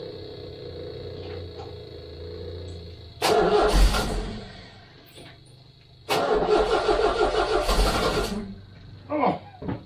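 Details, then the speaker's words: 1969 MGB stored since 2001, fuel pump noisy after picking up tank sludge: two long cranking bursts with a fast, even starter churn and no firing, because the carburettor float chambers are empty. "chamers are all empty that's the problem now oh"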